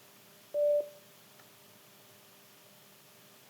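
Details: Bluetooth shower speaker that stopped working after being dropped, reassembled after repair and a battery charge check: one short, clean mid-pitched beep in a quiet room as it powers up and pairs. Normal Bluetooth pairing tone.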